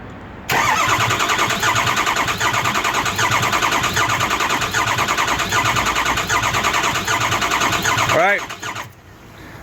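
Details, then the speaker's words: Ford 6.0 Powerstroke diesel no-start: starter cranks about eight seconds at roughly three beats a second, never fires; ICP gauge reads zero high-pressure oil (needs about 650–750 to fire); owner plans to replace IPR valve next. "so we're gonna crank it over I'm gonna see what we get on the gauge"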